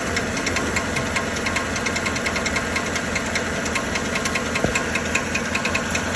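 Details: 2013 Chevrolet Silverado 1500 5.3 L, check-engine light on: steady metallic knocking at idle, two to three per second, sounding like a flexplate problem; actually starter drive gear not retracting.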